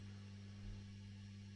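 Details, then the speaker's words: 2007 Blackstar Artisan 30 guitar amp after a re-cap, volume down; faint steady low hum with a buzzy overtone; owner suspects the filter cap dropped from 100 to 47 µF is the cause, possibly a valve. "I think dropping it 47, that's why we've just got that slight hum in the background. Strange. You'd think 47 would be enough."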